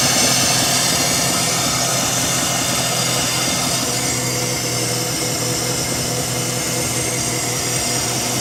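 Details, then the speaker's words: Mazda RX-7 rotary started after work on leaking injectors: it catches and settles into a steady, buzzy idle with no misfire or stumble; it runs normally. "thing all right let me turn the car off just Rock Solid 12 and a half"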